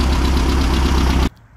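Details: 1600cc VW dune buggy (air-cooled flat-four) in mid-30s°F weather, after new plugs, an oil change and corrected cylinder 1 and 2 plug wires: an even, steady chugging idle on all cylinders with no misses or knocks before shutdown. It sounds healthy.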